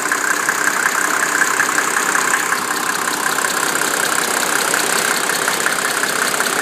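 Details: 1987 Mercedes 300SDL diesel with 119,000 miles and a number 15 head, warm idle at 80°C: a light tick of about 160 per minute comes and goes. It stops after a few minutes of driving and returns after 30 minutes' rest. The owner wonders about an injector, vacuum pump, sticking valves, or timing chain slap.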